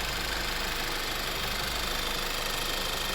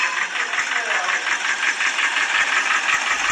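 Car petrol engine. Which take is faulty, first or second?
second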